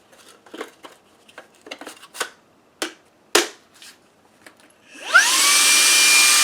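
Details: Shark WandVac WV201 after repair: motor had jammed with vacuumed-up baking soda, causing shut-offs and chirping; after cleaning the motor out and reassembling, a few handling clicks, then the motor spins up to a steady, even high whine with no chirping or stutter.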